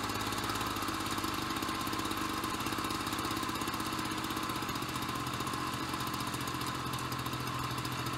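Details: Ryobi BP42 backpack leaf blower two-stroke, 4 years old, after repairing no-spark, replacing and dialing in the carburetor, and redoing the fuel lines: steady, smooth, even buzz with no misses or hunting; normal running.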